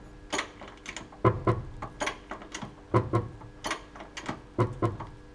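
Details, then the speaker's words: Mercedes Sprinter 313 front suspension while lifting the vehicle: heavy paired clunks and wheel jerking from worn right shock absorber; same knock when steering either way, left side fine. "Причём самое интересное то, что такой же аналогичный звук происходит при повороте руля."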